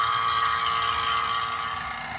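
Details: AC vacuum pump evacuating the system of a 2013 BMW 750Li before recharge, run for about 45 minutes: steady hum with a constant high note, pulling down smoothly with no knocks or rattles.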